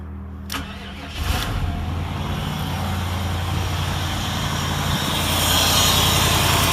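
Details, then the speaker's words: Chevrolet LT1 V8 after throttle body coolant bypass work: brief crank, catches cleanly and settles into a steady, even idle with no misses or knocks; normal start and idle. "yeah I got exhaust Li well it sounds like it's running good he's running all right"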